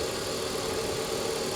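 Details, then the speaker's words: BMW straight six with a service engine soon light on, engine bay, coolant looks replaced: smooth, even idle with a steady hum and no knocks or misses, "solid as can be"; normal idle. "let's take a look at the engine see what's going on up there there it is solid as can"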